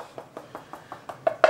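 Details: Tapping a partly debonded floor tile to locate the hollow area before resin injection: steady light taps turn louder and ring hollow on the last strikes, hollow-sounding debonded tile.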